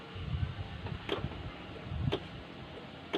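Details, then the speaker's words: Honda Beat FI scooter, starter pressed: relay near the battery gives three sharp clicks about a second apart with indicator light on, but no cranking whir; starter relay clicking, no crank. "Dengar ya teman-teman, suara otomat di bagian bawah, di bagian dekat aki ya teman-teman, bunyi cetek-cetek, kemudian lampu indikatornya menyala."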